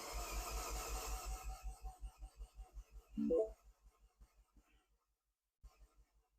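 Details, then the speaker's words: Freshly rebuilt Mini JCW engine, first crank with coil packs unplugged: even starter cranking, about four compression pulses a second, no knocks or scraping; healthy crank. "Okay, that sounded positive. That sounded positive. There was no crazy noises."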